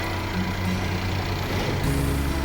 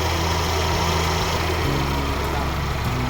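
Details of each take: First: Mercedes-Benz CLA W117 front-drive turbo petrol at idle after replacing the water pump, thermostat and filter housing and refilling coolant: smooth, steady idle, the earlier squealing from the water pump area is gone. Normal idle. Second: Mercedes-Benz CLA250 (W117) idling with a loud, rough, gritty whirr at the front over a steady low hum; the leaking water pump is losing coolant, the Top up coolant warning is showing, and the car is awaiting repair.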